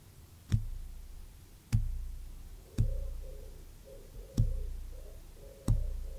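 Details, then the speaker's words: Worn Ferrari cambelt plucked and recorded with a microphone at high gain: five sharp plucks, each ringing into a very low, slowly fading bass note, showing the belt is too loose. "it's a very very low bass note isn't it but um that is too loose"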